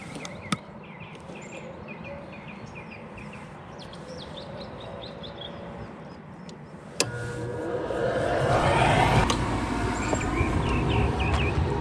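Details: Goodman gas-electric rooftop unit, no-heat call, after replacing the bad draft inducer motor: quiet outdoor background, then a click and the draft motor spins up to a steady rush as burners ignite; normal startup.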